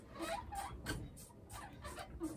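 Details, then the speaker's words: Sole elliptical trainer: rhythmic high squeaks, about two a second, as wheels roll on rails that got wet then very dry; fix is cleaning the rails and applying lubricant. "a lot of times with ellipticals when they either get sweat down on these rails or in my case if the rails get wet and very then very dry it makes a loud squeaky noise"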